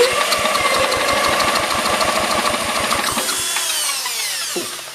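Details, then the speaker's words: 1960-70s John Deere push mower saved from scrap, cranked with an impact-driver starter tool, spark and compression confirmed but plug unverified: rapid even chuffing about three strokes a second under the driver's whine, fading without firing; cranks but won't start. "spin so i'm going to put a little bit more gas in here because i know it has spark it has compression i don't know if that plug is good yet"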